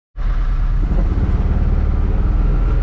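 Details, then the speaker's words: 2007 John Deere Gator 620i UTV after front axle replacement and oil change, test drive while steering: steady low engine rumble with no clunks or knocks when turning. The old axle clunked badly when turning; the new axle sounds healthy. "You can hear when I'm turning the wheel that there's no clunking or anything. That was the biggest sign that that axle is bad, is when we turn, it clunked really bad."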